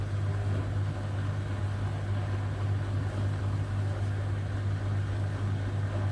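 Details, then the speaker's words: Hotpoint Aquarius WMA58 washing machine on a test spin: a deep, steady rumbling roar builds under the spin; the drum bearings are worn out and the machine was scrapped. "bearings shot on it."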